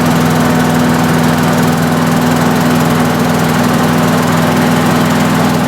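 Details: Lawnmower with a Quantum carburetor after the ethanol-damaged rubber float needle seat was replaced to stop fuel pouring out; started on choke. Steady, even single-cylinder hum that holds speed without surging or misfires; normal running.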